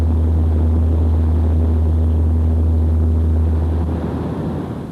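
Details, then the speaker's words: Example sound of about 60 Hz, similar to vehicle booming; steady deep drone at one low pitch, matching the frequency of a propeller shaft vibrating if unbalanced or with runout, so the propeller shaft is suspected, not confirmed. "for example the frequency of this sound is 60 HZ it is similar to the booming in question"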